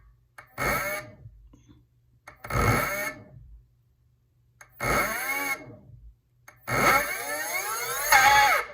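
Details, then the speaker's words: E-bike hub motor on a new controller, trying phase and hall wiring combinations: four short spin-ups, each a rising whine that starts harsh and uneven. This combination gives a rough, hesitant start, too much noise and high amps, so it is the wrong wiring. "But I don't think it's the right combination. Why? It's a little bit rough at the start."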